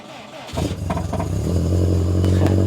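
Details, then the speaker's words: Cold start: cranks and catches quickly, settling into a steady even low idle with no misses or knocks; healthy. "cold start for the boys is good on that one"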